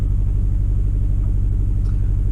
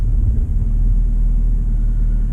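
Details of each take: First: 2009-2014 Suzuki SX4 running really rough at idle: deep lumpy, uneven pulses; cylinder 3 and 4 misfire codes, ignition coil swapped between cylinders to confirm a failed coil. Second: Suzuki SX4 that had misfire codes (P0300–P0304), heard after ignition coil replacement: a low, steady idle rumble with no stumbles or skipped beats, then handling noise; normal idle, though the scanner still showed misfire detected afterward.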